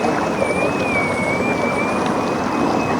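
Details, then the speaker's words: 3D printed Ardupilot RC offshore power boat on the water with a lighter battery in a new position; steady high motor whine over frothy churning hiss, propeller still cavitating into air; more rear weight suggested. "It's when the um propeller's coming out of into an air pocket. Still sounds like it's cavitating."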